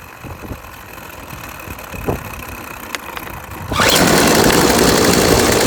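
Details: Yardworks 25cc trimmer after a new carburetor was fitted and the loose gas cap tightened: it catches and holds a steady, high, even buzz with no sputter or backfire. Normal running after the carb replacement.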